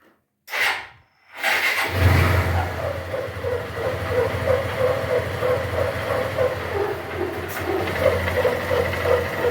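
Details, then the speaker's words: Honda Titan 150 at idle before repair: after startup a loud, steady mid-pitched hum like something rubbing sits above the idle, sometimes stopping with clutch pulled and in gear; caused by a worn gearbox bearing. "bueno gente en este vídeo Les traigo un titán que presenta un ruido en el motor es como un zumbido muy fuerte Como si algo estuviera rozando ahí"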